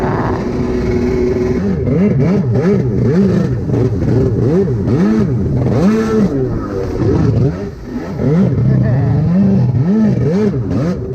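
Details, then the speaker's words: Rebuilt SuperFreak two-stroke watercraft (760), day three on the water, carbs rebuilt with new kits on both, still unsolved: loud surging, revs hunting and never holding clean. Poor running, carburettor fault suspected. "Well, as y'all can see, the ski is running like crap. Um, couldn't ever get it figured out. Um, tore the carbs apart multiple times, put different, uh, jets in it, everything."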